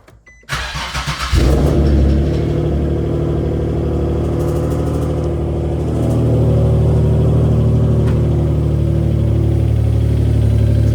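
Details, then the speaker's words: Nissan G37 with a used replacement engine, supposedly 20,000 miles, fitted after the original block blew. Catches into a fast uneven idle with a deep tapping rhythm underneath; knocking on startup. "Engine that we bought is bad. This thing is knocking on startup."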